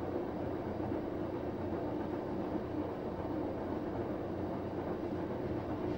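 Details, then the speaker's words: Samsung WF9904RWE direct-drive washing machine, empty drum, eco drum clean cycle reaching 70 °C with a little powder: smooth, low, even hum as the drum spins fairly quickly, no knocks, rubbing or rattles; very quiet, normal. "the drum spinning fairly quickly but as you can tell it's hardly making any noise because it's got a direct drive murder so it's very quiet very quiet"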